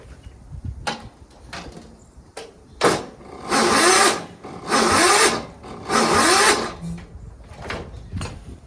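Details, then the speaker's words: Yard Machines 42-inch lawn tractor with 13.5 hp Tecumseh engine, reported as bad engine, no start: three sluggish, labouring one-second cranks that turn over but never fire; valves suspected to need adjusting, engine not believed blown. Slow cranking. "it actually turns over and everything uh it's to me it sounds like the the valves need to be adjusted that I mean that's when it's a soul crank like that that's what it sounds like to me"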